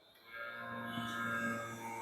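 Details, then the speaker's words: VHS/VCR rewinder unused for a long time: steady electrical hum but no reels turning, as the hardened belt jams and stalls the motor; fix is pressing forward/rewind and tapping the unit until it runs. "Sound கேக்குது. ஆனா இங்க எந்த வீலும் ஒன்னும் ஓடல. So இதுக்கு காரணம் என்னன்னா இந்த பெல்ட் வந்து அப்படியே ஜாம் ஆகி நிக்கும்."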